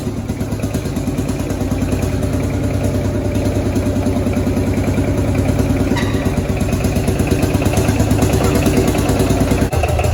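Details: Field Marshall Series 3A single-cylinder diesel just after its first start following a rebore and oversize piston, fitted after a piston ring snapped, likely from bore pitting. Slow, steady chuff around three beats a second, even with no knocking; normal idle.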